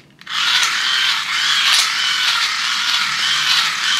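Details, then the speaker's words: Cheap hand-crank USB dynamo generator powering a 5W LED strip, drawing too much current: high rasping whir with scraping bursts as the plastic gears skip and grind. "Now, one thing you might be able to hear is the gears skipping or grinding against each other. Because when you try to power something which is drawing too much current, the gears start to skip and scrape against each other because they're just plastic."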